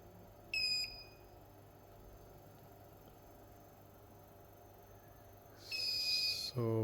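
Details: Dead Asus TUF FX506L laptop, motherboard main power rail reading 0 ohms; short killer beeps as voltage is injected at about 24°C board temperature, with a thermal camera looking for the hot part; short due to a bad MOSFET.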